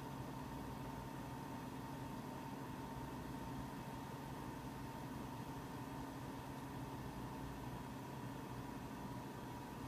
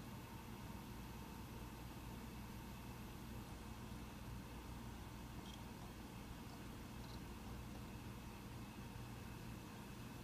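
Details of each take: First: Mac Pro 1,1/2,1 with 48GB using 8GB DIMMs, benchmark running: constant airy rush with faint hum, fans about double usual speed and climbing though temperatures a few degrees cooler; SMC/EFI mishandles the unsupported RAM, causing fan overspeed. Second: Mac Pro 1,1/2,1 with 32GB RAM running a benchmark: faint, steady, even fan hiss at low level, no rattle, only a slight ramp late in the run, still quite quiet; normal fan noise under load.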